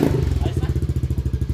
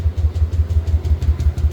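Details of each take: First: Yamaha Aerox V1 scooter that had refused to start that morning, now running with battery at 11.7 V: steady, even low thumping around twelve beats a second, no misses or clatter; idling cleanly. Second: Yamaha Aerox V1 scooter that stopped starting this morning: steady starter churning at about five or six compressions a second, never catching. No fuel pump hum heard at the tank, so the fuel pump or its line is suspected, not confirmed.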